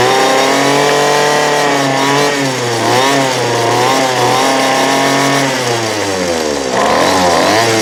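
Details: 2008 Poulan Pro PP25E 25cc straight-shaft trimmer, abused, with misrouted fuel lines and a clogged carb screen, running again: high buzzy two-stroke revs up and falls back several times but runs cleanly; smoking off garbage, still needs carb adjustment.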